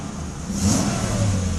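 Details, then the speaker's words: 1994 Mercedes S500 with a working E-gas throttle module: short clean rev rising smoothly from idle and settling back without hesitation; throttle responds normally and idle holds steady. "So it does accelerate, it keeps the idle steady. The actual throttle is making the sound, so that is fine."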